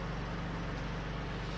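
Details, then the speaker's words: Porsche pre-purchase inspection, smooth even low idle just after start with a steady hum; no ticking, clatter or loose-tap noise that would suggest IMS bearing or bore scoring problems; sounds really sweet and healthy. "it's a subjective thing but if it sounded bad I'd shut it down and I'd probably be walking away"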